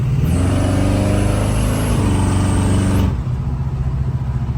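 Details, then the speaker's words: Revving V8 driven up to temperature, in its learning phase with the O2 sensor connected. A high, steady squeal rides over the revs and cuts out when the throttle drops: drive-belt squeak. "sounds like she's supercharged. It's just belt squeak, guys. Don't mind that."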